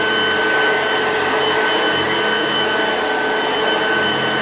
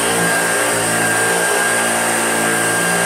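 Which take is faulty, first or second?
second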